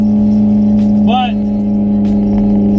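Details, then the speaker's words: Honda S2000 idling with exhaust open at the test pipe during ASM titanium exhaust install, test pipe bolts damaged: steady deep droning idle with raw, flatulent exhaust note and buzzy body rattles throughout the car. "this is open test pipe sounds like a bunch of farts oh my God everything is rattling in my car"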